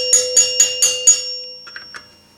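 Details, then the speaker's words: 1974 Gottlieb Magnetron EM pinball, three-chime unit during rebuild: plunger nut overtightened, squashing the rubber, so five sharp strikes about four a second give a short, deadened ring instead of ringing out; loosening slightly restores ring. "You want it where it's just loose enough where it's going to hit the chime bar as square as possible. And it's not a dead sound. See the difference? Too tight."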